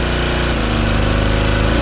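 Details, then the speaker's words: King Canada Powerforce 1500W generator, warmed to proper temperature and set near 121 V, heater switched to high: engine drones low and heavy, note sagging as it labours, runs out of horsepower; engine overloaded. "Can't do it. Runs out of horsepower."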